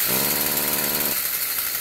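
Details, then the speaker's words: Stihl FS46 two-stroke string trimmer, bogging complaint, before spark arrestor removal (suspected plugged, later confirmed): buzzy brief rise then sags and flattens instead of revving out; exhaust restriction from clogged spark arrestor screen. "okay what I've done is I've loosened the spark arrestor up I've not taken it out yet but what I suspect to find is the spark arrestor is gonna be plugged up"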